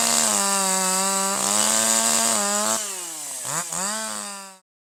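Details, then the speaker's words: Older piston-ported chainsaw, no load at full throttle out of the cut: high scream that warbles and sags unevenly, four-stroking because the high-speed (H screw) mixture is over-rich and the charge fails to ignite. "So, as the piston goes up and compresses the mix, this time it's unable to fire, the spark plug does its thing, but the fuel air mixture does not ignite this time."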